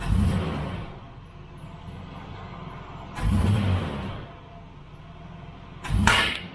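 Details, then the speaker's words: Nissan GQ Patrol with a TB42 engine, carburetted with a 350 Holley, air cleaner off, mixture being tuned by ear: a quiet idle broken by three sharp whooshing bangs about three seconds apart. Carburetor backfire during tuning. "There we go, bang. Alright, so what I can do, backfires are pretty common for these old carby fed ends, especially when tuning."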